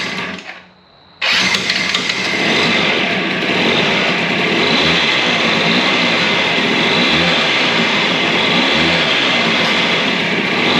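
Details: DS90 two-stroke after rebuild with used replacement crank, first start and heat cycle, idle turned up slightly: after a brief pause fires into a steady buzzy idle with no knocks or misfires. Healthy idle.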